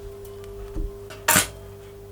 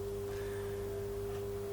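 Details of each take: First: Vintage Oxford RT110 MMA stick welder after sitting about 10 years: arc crackles in uneven bursts with gaps and restrikes; owner suspects too few amps for rods too big. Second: Vintage Oxford RT110 MMA stick welder, after sitting about 10 years and getting wet, rusty inside, idling between test welds: quiet, steady hum with a clean pure tone, no buzzing or crackle; healthy.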